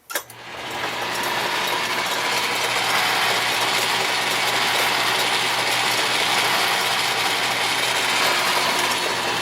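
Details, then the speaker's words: Atlas 10-inch lathe with a newly retrofitted quick-change gearbox: constant gear whir with fast steady clatter, loud running toward the headstock and quieter in reverse; owner suspects a worn die-cast compound gear or the die-cast tumbler gears and hopes it runs in. "But let me turn it on so you can hear what it sounds like. That's pretty noisy. It's a little more quiet when you run it in the reverse direction."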